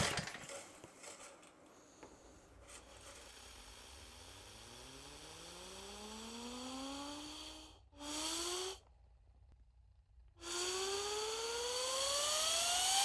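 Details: Rototiller small engine, freshly reassembled after carburetor work, recoil pulls: whirring tone rising in pitch as the cord spins it over, turns over but never catches; cranks, does not start.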